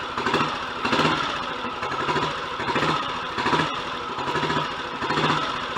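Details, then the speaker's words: Royal Enfield Model G 350 single, after the pushrods, sloppy timing pinion and thrust washers were sorted, kick-started: slow, even thumping idle, noticeably quieter mechanically. Normal healthy idle. "I can instantly tell that that's a lot quieter mechanically. So that was a job well worth doing."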